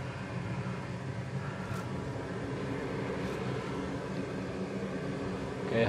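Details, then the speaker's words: Used replacement oil burner for a basement heating system, swapped in for a roughly 15-year-old unit with failing bearings, running with an even steady roar and low hum, no pulsing or rattle; a little quieter. "I don't hear that much noise from this unit, so I guess it's a little bit better now."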